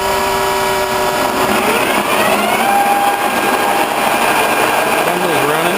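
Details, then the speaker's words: Horizontal boring mill with straight-cut gears, spindle running while line boring John Deere planter lift arms inside a tent: steady high gear whine with tones sliding in pitch as the feed runs; normal, nothing wrong. "Some people say my machine's a little noisy. Well, it might be. It does have straight cut gears."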